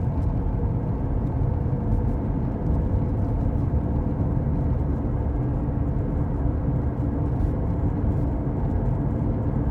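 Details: Worn hub bearing heard from a tyre while driving, recorded from the passenger side: a deep steady rumble and growl droning under road noise, heard as gogogo, rururu, won-won, gorogoro.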